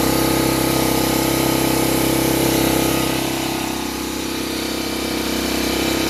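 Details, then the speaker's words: 1985 Honda Fourtrax TRX250, kick-started after carburetor jet work, smoking a little: fast buzzy single-cylinder beat that sags and climbs back, not settling to low idle; erratic high idle. "Yeah, it took a little bit bigger boot, so we got it running. Took a couple kicks. That wasn't idling."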